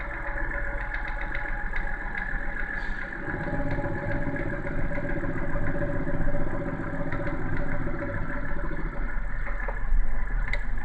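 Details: BMW N52B30 inline-six, cold start: light, fast ticking knock over the idle that appears on starting and goes away once the engine warms and revs drop to idle; cause unknown, owner asking for opinions.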